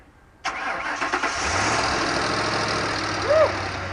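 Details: Ford Crown Victoria just after fuel pump replacement, pump primed several times with the ignition: short crank, catches right away, settles into a steady, even idle with no stumble; normal start and idle.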